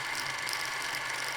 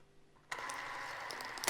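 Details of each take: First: Krasnogorsk-3 clockwork film camera running, steady high whirring ending in a sharp ratcheting burst; suspected film tearing, lost loop or jam, not confirmed. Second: Krasnogorsk-3 movie camera freshly loaded with film, lid closed, speed set to 8 frames per second: a click, then a light, even whirr with fine rapid ticking. Normal film transport running.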